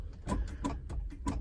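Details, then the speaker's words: 1964 Lincoln Continental convertible: sharp single clicks about every third of a second with no cranking. The starter solenoid engages but the starter never turns; the neutral safety switch is suspected, possibly acting as a theft deterrent. "And you kind of hear that, the solenoid clicking. That's something that, could be a theft deterrent, which isn't too bad."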